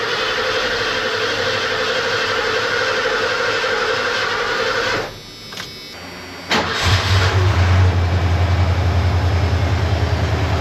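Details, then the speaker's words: 1989 Ford F250 after fresh oil and coolant, with the ignition coil unplugged to circulate oil before first start: even starter cranking at about three compressions a second with no firing, then a pause and a low steady run. "I actually unplugged the ignition coil just so I can turn over the engine for a little bit before I fire it up to get oil moving around."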